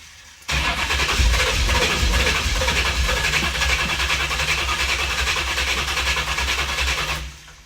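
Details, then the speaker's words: Christine, V8-swapped Chevrolet S10 with fresh fuel system, first start attempt: long crank with uneven sputtering catches that never run; firing on only one cylinder, only one hot. "It's trying to come alive, as you can tell. The smell is great. But it's literally firing on one cylinder. Only one cylinder is hot."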